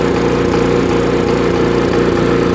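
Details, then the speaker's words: Chipper/shredder small engine after a carb cleaning, run without its air filter: it runs but stumbles in short regular dropouts because the switch contact won't stay on the button; the fix is bending the contact down. "But that may be because I don't have the air filter on it. Nope, it's the button. So I need to bend this piece right here. I need to bend down."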